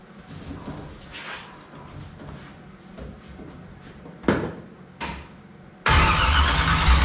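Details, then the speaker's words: 1955 Chevy small block V8, first start after sitting roughly 10-12 years: slow cranking bursts, then catches and runs ragged with an uneven note; starts hard and runs poorly, oil pressure present. "All right, so we get fire, but she don't want to run that good. We do got oil pressure."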